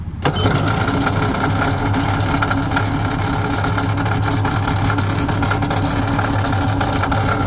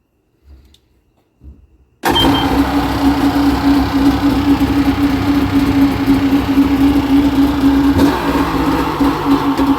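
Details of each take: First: 2005 Yamaha GP1300R jet ski with a fuel-injected two-stroke, run after purchase. Steady buzzy idle with a hard, rapid knock throughout; a really bad engine knock, cause unknown. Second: 2005 Yamaha GP1300R fuel-injected two-stroke jet ski, after swapping in a borrowed battery and gapping the spark plugs to 0.032 in stock spec, starts straight up and holds a steady, even buzzing drone about nine seconds without misses, then shuts off; running clean.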